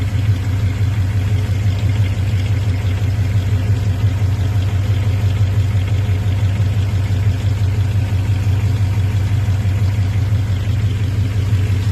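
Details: Hot-idle rattle, about three a second, over a deep steady rumble from a 5.9 (360) Magnum V8; quiet at cold idle, goes away with acceleration; persists after replacing flex plate and torque converter.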